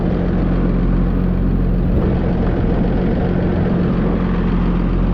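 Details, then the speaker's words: Oliver Fleetline 88 tractor after its first start in about five years, warming up with coolant confirmed circulating through the thermostat bypass: a smooth, even low rumble with no knocks or misses, a healthy warm idle. "I was just feeling carefully here where the coolant bypasses the thermostat. It's warming up. So that means coolant is circulating."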